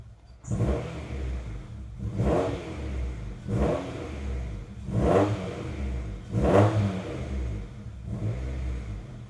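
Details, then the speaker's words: Honda CR-V after new fuel pump and fuel filter fitted, codes cleared: rough, lumpy idle surging and sagging every second and a half with uneven beat; engine still misfiring badly, no check engine light. "It's still missing. I can hear it pretty bad."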